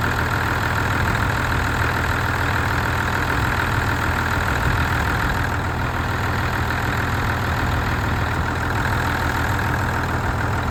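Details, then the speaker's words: Ford diesel tractor started after clearing a blocked fuel supply, having pulled in a lot of air; even diesel clatter at steady idle with no misses, stumbles or knocks: normal idle. "I'm quite delighted how well this sounds it's not not s like a John Deere anything it's not as near as nice as that but for this thing it sounds pretty damn good"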